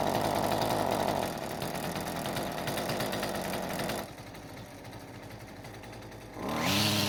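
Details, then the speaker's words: Husqvarna string trimmer (two-stroke) that previously started but wouldn't stay running, carb only roughly adjusted: buzzes unevenly, surging and sagging, running rough and not reaching full speed. "it runs however it's not running very smoothly"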